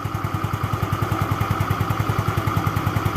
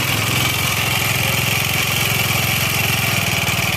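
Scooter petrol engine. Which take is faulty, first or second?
second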